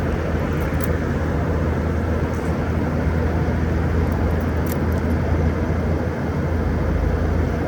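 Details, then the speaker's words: 2012 Frigidaire 18,500 BTU 220V R-410A window/wall AC, nearly 14 years old, outdoors at about 88°F: steady even low hum, no knocking, rattling or cycling; compressor running normally and still blowing cold, though fan bearings noted as starting to go. "410A, and it's still blowing cold at almost 14 years old. You don't get this lifespan out of today's units."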